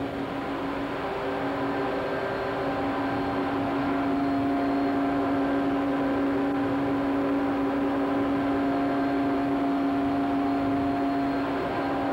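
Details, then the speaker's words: Coke pulverizer mill fed by a gravimetric belt feeder, running: the gear reducer and 300 hp Siemens Allis motor give a steady, even drone with a smooth hum and no knocks or grinding; normal operation. "Sound of the gear reducer. And the sound of the 300 horsepower Siemens Alice motor."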